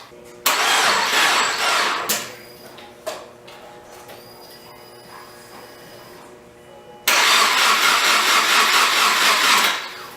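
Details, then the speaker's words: Subaru Forester with rebuilt engine just reinstalled, with new clutch and timing done, after battery recharge: two strong even cranking bursts, spins freely but never catches; oil spurts on cranking, suspected from turbo oil feed or drain. "right well it turns over really good but tell me something's wrong that's oil that's a lot of oil every time I turn over the motor just spurts oil"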